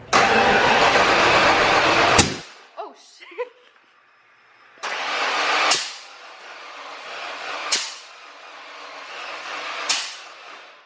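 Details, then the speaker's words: Ford Bronco 351 Windsor V8 newly fitted with FiTech EFI, spark plug wires on wrong distributor terminals from a diagram: fires and runs ragged about two seconds then quits abruptly; misfire from incorrect plug wire order. "all right so I had all the spark plug wires on the wrong points on the distributor from some diagrams"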